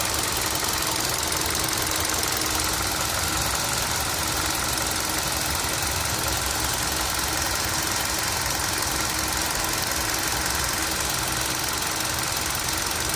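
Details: Idling engine with a light, uneven ticking and knocking over a hissy, steady run; the source of the tick is unclear.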